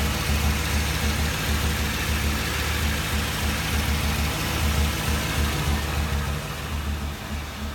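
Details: 2007 Ford Crown Victoria deep idle with an uneven, lumpy low pulse and recurring stumbles: misfire at idle, cause not yet pinned down.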